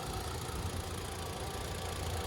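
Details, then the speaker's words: 2016 Mitsubishi Outlander Sport bought at auction: steady, even idle rumble with no knocks or ticks; sounds like a normal, healthy engine, no leaks seen. "So here we go. That sounds like a normal Mitsubishi motor to me."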